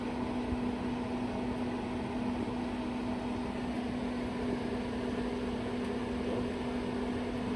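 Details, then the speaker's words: Pop-up A-frame trailer RV furnace running after the bad propane regulator was replaced, hot air starting, unit not run in a while; steady airy whoosh with low constant hum, no knocks or rattles; normal blower run. "It's all fixed now though. Feel some hot air coming out. It's not too hot yet."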